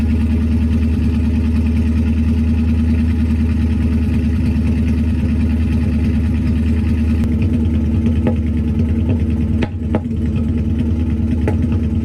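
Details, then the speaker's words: Ford Focus twin-turbo V8 project car on first start with new custom TIG-welded stainless steel exhaust: idle pulses unevenly with a lumpy, stumbling beat and a few sharp pops; misfire at idle. "it's got a bit of a misfire"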